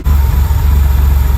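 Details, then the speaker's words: 1979 Porsche 911SC CIS, after fuel distributor repair of a no-start: deep idle with slight rhythmic swell; needed almost a full turn on the mixture screw and about another eighth, then settled at 950 rpm idle. "so she needed almost a full turn on the mixture screw and you can still hear she probably needs about another eight"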